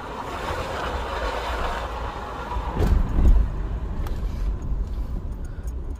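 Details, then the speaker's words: GMC full-size AWD truck, Vortec 4200 inline-six, 251k km, driving: a deep metal-to-metal growl under road noise that gets louder with speed, coming from the front. The engine is ruled out and the front differential is suspected. "so it's definitely the the drive train I could hear a growling sound it's like metal to metal all right the faster I go the loud sound to come up"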